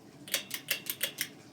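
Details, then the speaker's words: 1985 Hunter Studio Series 52-inch ceiling fan, which wobbles a little, started on low after being reversed. Six light, sharp ticks about five a second as the motor starts: a kick in the motor with no clear cause. "Seems like there's a bit of a kick in the motor there."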